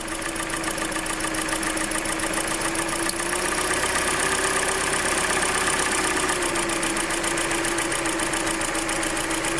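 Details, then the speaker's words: Hyundai Elantra 1.8 at idle with injectors being disconnected; light quick top-end ticking eases as rpm drops, quieter warm, louder in cold; cause not pinned down, oil change next; engine ticking. "So when the RPMs drop, you can definitely hear it less, but that's why some people say that if you drop the RPMs, actually you hear it less. And when it gets warm, you can hear it less too. In cold weather, you'll be able to notice it more."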